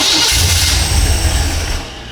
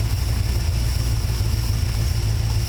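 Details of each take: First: Engine newly fitted with a FiTech throttle-body EFI, first start, tach wire on coil negative: catches with a rough, loud burst, runs about a second and a half, then dies; handheld showed no RPM signal during cranking. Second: Engine on first startup after FiTech throttle-body EFI install, after prime shot and IAC throttle adjustment, earlier fired and died with no RPM signal: runs steadily with low smooth pulse several seconds then cuts off; normal running.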